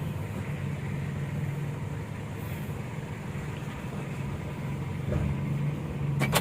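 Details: 2013 Mitsubishi Strada Triton GLX after replacing left and right CV joints and the transfer case chain, driven in 4H while turning left and right: steady low road rumble, no clicking, knocking or grinding; 4WD drivetrain now healthy.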